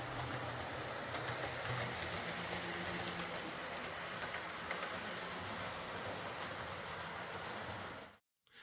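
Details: Model HST power car with high mileage and worn brushes, test-run after a full ring field service, bogie cleanup and replacement brushes: steady, even motor whirr and wheel hiss, no scraping or surges, until it cuts off. Normal running.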